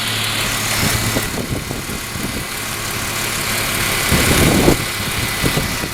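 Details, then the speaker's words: 2001 Ford Mustang 3.8 V6 at idle, with new EGR valve, plug wires and plugs, which sputters only on sudden hard throttle; steady, even idle, smooth low hum, no knocks, misses or rattles. Normal idle. "the engine sounds okay to me. It's the way I got it. Sounds okay on idle. Totally fine."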